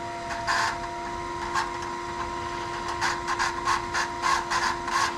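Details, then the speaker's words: Mazda RX-8 with K-swap and HE300VG variable-geometry turbo, car shut off: actuator motor whines and stutters trying to close vanes past about 60%, then cuts off; turbo teardown found deformed, pitted vane ring fins. "I could shut the car off and I could hear that the turbo actuator was trying to get past that range. Like I could hear the motor whining and stuttering,"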